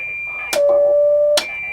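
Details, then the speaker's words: Sony CRF-320 communications receiver under repair, on medium wave: clean, steady mid-pitched CW beat note nearly a second long between bursts of static; CW and upper and lower sideband working, normal BFO. "well that's good so we know that the CW and the lower and upper side band seem to be operating"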